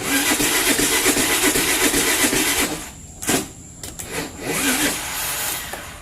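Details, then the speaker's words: Honda Vario Techno scooter that won't start, typically in the morning. Starter cranks briskly for about three seconds but it never fires. Crank-no-start; the automatic choke or a blocked choke air passage is suspected, unconfirmed. "Kondisi sepeda motor tersebut adalah tidak bisa dinyalakan. Mobil itu tidak akan menyala di pagi hari."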